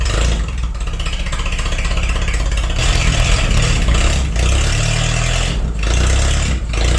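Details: Forklift engine after replacing the bad spark plug: steady, even beat with smooth firing rhythm and no stumble or miss; misfire fixed, running cleanly.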